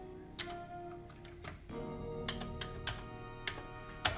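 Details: Commodore 1541 floppy drive, unopened since 1991, belt checked, running on a Commodore 64: sharp irregular ticks about twice a second while struggling to read a disk; a dead disk is also possible, cause unconfirmed.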